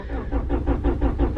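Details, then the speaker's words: Lowered Honda Prelude on a snowy morning: steady slow cranking about five turns a second with no firing; chronic hard morning starts needing gas-pedal pumps and six to ten tries; owner suspects a fuel delivery problem. "I think it's a fuel delivery problem which is one reason why it has such a hard time starting in the morning"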